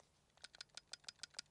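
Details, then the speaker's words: DJI Osmo Pocket 4P and Insta360 Luna Ultra gimbal cameras shaken by hand: sharp dry clicks about eight a second, and both cameras rattle. The moving gimbal parts are held magnetically at rest, so this is normal rattle. "Also von dem Klapper Gate zu sprechen würde ich mir da jetzt nicht wirklich erlauben, denn beide Kameras klappern an sich. Ist ja auch klar, ihr habt hier bewegliche Teile am Gimbel und so weiter."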